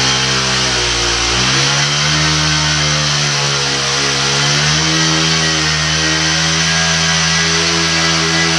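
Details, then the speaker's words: Shindaiwa hedge trimmer (AH254 in lineup), two-stroke, after two years of commercial use, running in garage: crisp revs climbing and holding steady, clean with no stumble or misfire; best it has run in weeks despite field trouble; normal running. "Hedge trimmer, that's probably the best it's worked since I've been using the thing in the last couple weeks on some jobs."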